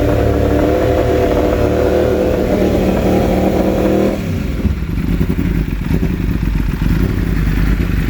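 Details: 2016 Yamaha R1: engine pulls smoothly, then at about four seconds breaks into ragged, uneven firing with stumbles when the riding mode changes; misfire of unknown cause.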